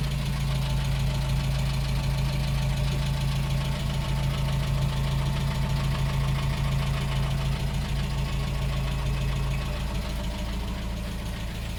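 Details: 1987 Dacia 1310 (Romanian Renault 12) idling: regular low knock about twice per second under the engine note, unchanged after a bearing change; copper radiator, new coil and Polish fuel pump fitted since; cause of knock not identified, owner asks for suggestions.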